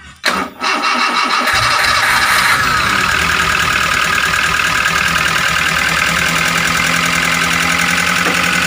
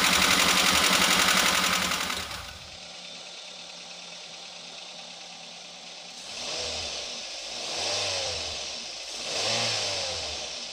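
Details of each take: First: Daihatsu Gran Max 1.3 at idle right after starting: rough, busy tapping chatter from the top end. Valve tapping from loose valve clearance. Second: Daihatsu Gran Max 1.3 after readjusting valve clearances that were too tight or too loose (0.10 to 0.50): loud stretch, then quieter engine with three smooth, even revs and no rough clatter; back to standard, normal running.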